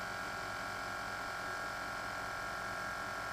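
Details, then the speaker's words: 2007 Chevy Suburban, newly installed air-ride suspension compressor, engine running: steady even electric drone at constant pitch, no knocks or rattles; compressor runs normally and lifts the vehicle. "So let's get off it on this truck and crank it up and see if the air compressor comes on. Alright, it's coming on."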